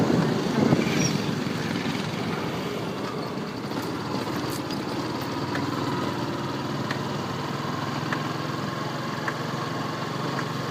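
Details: Yamaha R15 V2 motorcycle with a light, irregular "tak tak tick tick" clicking from the chain/sprocket, about three to four a second over the engine hum. Cause unknown.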